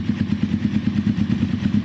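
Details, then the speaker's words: Kawasaki cafe racer motorcycle idling: low thumping idle, slightly uneven with an occasional splutter and hanging revs; owner suspects carbs need tuning (air-fuel screws, balancing, possibly slight upjetting); idle hard to set between too high and too low. "The revs are hanging a little bit. I think the carbs need a touch of tuning. It will probably be air fuel screws, maybe balancing. It's not running bad, don't get me wrong, but the idle's just that tiny little bit."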